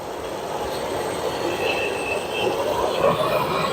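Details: Whirlpool stacked washer test run after replacing direct-drive transmission that leaked oil from a bad seal; steady hissing rush of water with slight surges, no pump or motor noise; normal fill, no water dripping.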